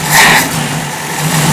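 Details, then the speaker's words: 1965 Jeep CJ5, engine fully cold, just fitted with XF Falcon electronic ignition, with suspected fuel supply issues and possibly low oil: quick throttle blip that rises and settles smoothly without stumble; normal revving. "all right so that's it it's really smooth I think it's low on oil is not good it RS really well this is B cold"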